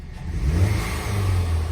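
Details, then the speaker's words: 2016 Cadillac ATS4 2.0T at 57,814 miles after ZZP large throttle body and Denso Iridium plug install: quick clean rev with smooth climbing note, no stumble or rattle; healthy, no check engine light. "But hey, she sounds healthy. Still no check engine light, so that's a good"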